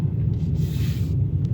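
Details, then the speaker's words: 2008 Hyundai Elantra cruising, heard in the cabin: a heavy, constant, throbbing low drone from the tires, which the owner calls the noisiest set he has experienced and says is worst on the expressway. "I don't know if the video will pick it up, but these tires are absolutely noisy. They are the noisiest set of tires I've ever experienced."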